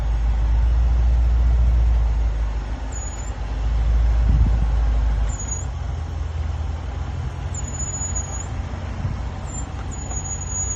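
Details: 2017 Range Rover Sport SVR while driving: thin very high-pitched brake squeal in short bursts over road and engine rumble; persists despite chamfered lubricated pads, new pads and discs (returned after ~500 miles) and new calipers.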